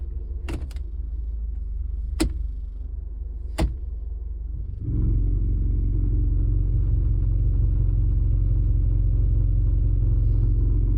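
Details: 2003 Honda Element after a 200-mile limp-mode drive in torrential rain: clacks, then a steady low idle rumble with a faint tinny rattle; solved as a loose manifold heat shield and an exploded catalytic converter rattling in the muffler.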